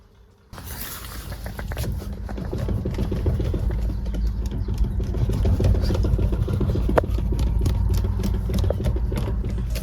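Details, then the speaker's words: Hyundai i30 steering wheel rattle while driving: loose, irregular clicking over road rumble, caused by worn rubber in the power steering module coupler; fix starts by removing the lower dashboard panels. "This is a sound caused by a worn out rubber inside a power steering module."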